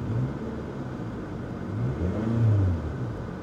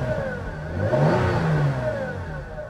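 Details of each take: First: Salvage-auction car revved in place after the transmission engaged forward and reverse: clean, smooth rise and fall with a deep note, no rattles or misses, so it revs fine. A minor exhaust leak, probably the flex pipe, is suspected separately. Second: Car at salvage auction, not overheating, AC not working: thin moaning whine rising and falling with revs as the engine revs and settles; power steering or transmission pump suspected, source unconfirmed.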